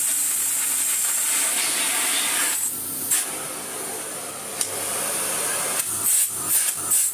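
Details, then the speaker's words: 1990s Philips Blue Magic Silence TC739 vacuum cleaner with its hose end taped back on: a steady, even rush of airflow with a high hiss and no rattle or pitch wobble; the motor pulls strongly and runs normally, though the LEDs still don't light. "hey we have fantastic suction although still still no leds on our thing"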